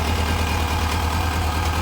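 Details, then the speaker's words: Kawasaki 1000 ATV after airbox delete with individual filters and rejetted carbs, in neutral, no choke: smooth, steady low idle with even firing; loud crankcase vent noted. "there we go smooth too real smooth that crankcase vent is so loud"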